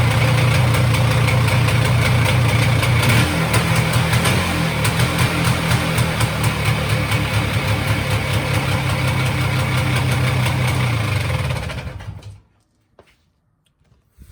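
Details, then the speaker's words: 1999 Polaris Xplorer 400 ATV single-cylinder, started with newly repaired pull starter: steady, even idle with a faint early rise, shut off cleanly near twelve seconds; pull start works, engine runs normally. "All right, I'd say that's a success."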